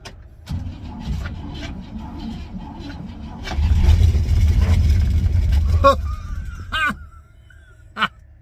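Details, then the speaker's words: 1957 Pontiac Star Chief V8, sat an estimated five to ten years in central Florida, second try after extra fuel poured in: cranks briefly, then catches and fires into a lumpy low rumble before dropping off; first start after long storage. "pump she's a runner boom I don't know how long this thing's been sitting for the old man said a couple years I'm calling it 10 say five or six I don't know but this thing just fired up"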